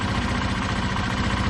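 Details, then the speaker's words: 2005 Honda Lead SCV100 scooter, fully warmed up, after lowering idle speed at the carburettor idle screw: steady, even low putter with no hunting or surging, and the CVT clutch no longer catches to drive the rear wheel. Normal idle. "Seems to be seems to uh sound all right now."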